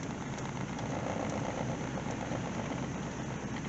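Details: Truck with 268,384 miles, running with 50 psi oil pressure, 120 degrees and 14 volts. A steady, even idle with no misses, a little high at 1000 rpm. High idle speed.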